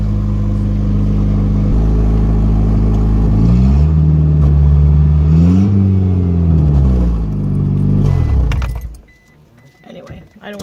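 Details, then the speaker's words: Ford Aspire: loud deep blatty Harley-like roar swelling as revs rise and fall before shutting off; exhaust rusted through and came off; repair planned with a slip-on sleeve. "famous we're coming home from work Saturday I go to leave a stoplight all of a sudden the Aspire sounds like a Harley the whole thing is rusted all the way off"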